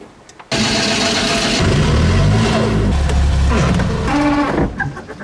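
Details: Fiat 126 left unused for 4 weeks cranks with pedal pumping and catches, revs unevenly for a few seconds, then stumbles and dies; it won't keep running. The cause is not confirmed.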